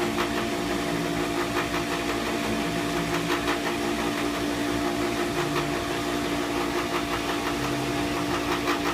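Steady loud motor drone with a rough, uneven rattle riding on it; pump is still noisy, source not pinned down.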